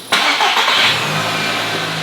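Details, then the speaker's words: Audi RS3 2.5 L five-cylinder, starting under its own power after the correct battery was fitted and secured: starter engages, fires almost at once, flares briefly and settles to a smooth, even idle; a healthy start. "That's fixed. I don't care what you're saying, that is fixed."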